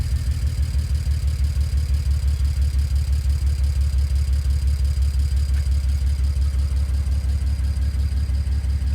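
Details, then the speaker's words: BMW E91 335 wagon N54 engine, coil moved to cylinder 2 to test if misfire follows: low idle pulsing about three beats per second with rhythmic exhaust stumble; one cylinder missing, DME shows cylinders 2 and 1, faulty ignition coil. "so as you can hear as you can hear the cries - misfiring"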